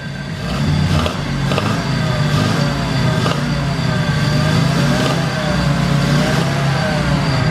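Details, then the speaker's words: Mazda RX7 Series 1 12A rotary first start after 10 years' storage, fouled plugs cleaned: revving hard with rough spitting exhaust and uneven crackle, fuel-laden smoke from exhaust; running rich. "Look at the stuff coming out the bag. It's fuely."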